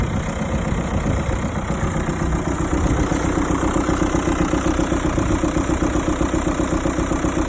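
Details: 2006 Seat Alhambra 2.0 TDI manual, diesel idling: steady, fairly regular clatter around four per second over a deep rumble; unusual engine noise, owner doesn't know the source.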